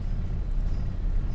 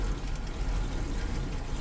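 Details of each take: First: Suzuki Katana after electric fan and thermostat install, hot at working temperature, fan just switched off: low steady rumble at 100-200 rpm idle, no knocks, misses or hunting; holds stable low idle without stalling. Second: Suzuki Katana after fitting electric fan and thermostat, engine not yet at working temperature: low, uneven idle around 100-200 rpm shaking the bonnet stay, wavering as if about to die.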